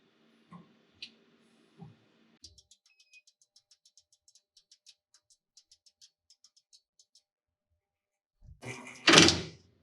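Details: CNC machine re-homing after the red reset button: sparse stepping ticks, then a harsh second-long grinding rattle as the axis slams its hard stop and the belt skips because the endstop switch never tripped; driver then flashes seven red times, a position fault.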